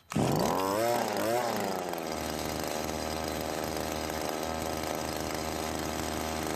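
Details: Cub Cadet commercial trimmer that was hard to start and ran poorly, after a carburetor rebuild for a hardening metering diaphragm: it catches at once, blips a couple of times, then settles into a steady, even idle. Normal running.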